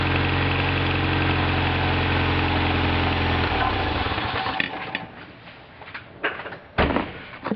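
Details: Toyota MR2 Turbo idling with a light, quick ticking over the engine hum; mechanic suspects a warped exhaust manifold leaking, not confirmed.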